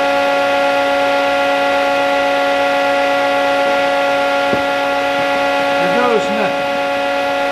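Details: Old plasma cutter running at 30 amps after freeing a stuck, sticking internal switch found during troubleshooting; fan and power light on. Loud, steady blowing hiss over a constant hum: running normally again.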